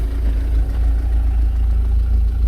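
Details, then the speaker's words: Warm idle on an MG TF after about 15 minutes ticking over, oil moving up to temperature; no engine warning light, manifold smoke gone, steady even smooth idle with no misses or knocks; normal warm idle. "still no sign of engine any engine warning light and um smoking's gone from the manifold which is good which sounds really good sounds smooth it's all sounds good"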